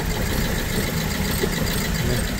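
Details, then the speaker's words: £200 BMW E87 120i with persistent misfire despite new plugs and coils, two injectors switched off while hunting a suspected faulty injector: rough, lumpy idle with irregular stumbles; all injectors later found working. "Yeah. Two injectors been turned off. Don't like it."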